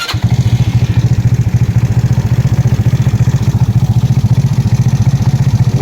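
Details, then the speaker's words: GY6 150cc scooter after valve adjustment: an even single-cylinder putter at about three and a half beats a second with no ticking or the earlier valve chatter. Normal idle. "better. You don't even hear all that chattering that it used to have before. Before it was chattering everywhere. Now it's nice and adjusted."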